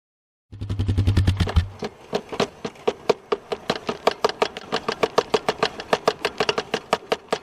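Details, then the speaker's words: 2003 Polaris Sportsman ATV: sharp regular clicking about five per second over a low engine hum from a bad rear CV joint; axles to be replaced. "So, that's what you might hear if you have a uh bad CV joint."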